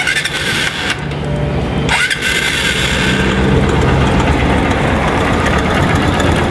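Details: Motorcycle single-cylinder engine on cold start: fast, light ticking under the loud idle; ticks when cold and goes away when warm.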